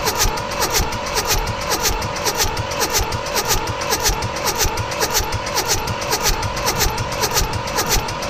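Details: Mitsubishi D1800 tractor, KE95 diesel with ND injection pump, cold March day: steady rhythmic cranking, about two compression pulses a second, never fires; no fuel at delivery valves because the overhauled injection pump was installed wrong (plungers not turning).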